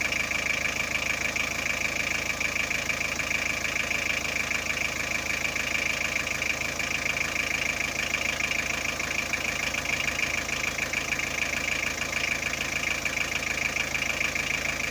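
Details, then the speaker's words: Car with battery warning light and dimming lights, after repair; engine idling, charging at 13.5V, battery indicator should go off; steady even idle with constant high-pitched whine on top, no misses or knocks; normal idle. "Charge naman siya 13.5, at kailangan mawala yung battery indicator niya dito."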